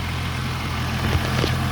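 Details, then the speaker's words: 2001 Holden Commodore VU Ecotec 3.8L V6 at warm-up idle after thermostat swap to standard 90°C unit: steady low idle with faint light ticking unchanged with idle; noisy lifters/tappets, owner says always noisy but never problematic. "They are kind of noisy. But I've never ever had a, genuinely I've never ever had a problem with them. Like dealing with them. Like, doesn't really, idle doesn't change, the noise remains the same."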